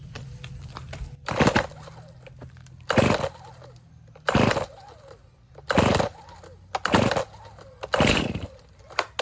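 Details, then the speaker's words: Stihl chainsaw, fueled, cold start on full choke: several starter-rope pulls about every 1.5 s, each with a brief sputtering catch, the "burp" showing it tried to start; next step is flipping to half choke. Normal cold-start false fire. "you hear it burp? It just tried to start. Now we need to flip it to the half choke position."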